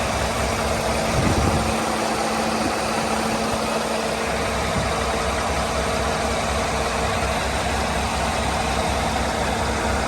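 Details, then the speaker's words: International Prostar truck with MaxxForce engine, idling while warming up after work on the retrofit fan belt idler pulley, checking for leaks; steady, smooth diesel drone with no knocks, squeals or chirps from the belt side: normal idle. "warming it up see how she's doing make sure it ain't leaking"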